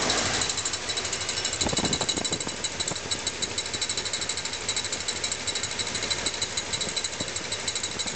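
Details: Small-block Chevy V8 at idle: fast, steady metallic ticking, roughly three per second, that the owner believes comes from the timing chain cover. Cause not confirmed.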